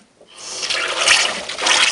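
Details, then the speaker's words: Bosch on-demand tankless water heater, reassembled after sediment cleaning, water just turned on: a harsh hissing rush of surging water, far louder than normal; a seal or fitting problem is likely. "and it sounds like I got a big problem wow I got the O-ring in properly"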